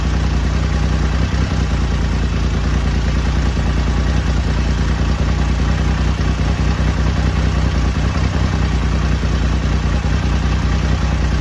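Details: BSA Rocket Three Mark 2 five-speed (A75V) after carburettor service for erratic running, not yet warmed up, started once the choke was backed off: even, steady triple beat at fast idle with no hunting or popping.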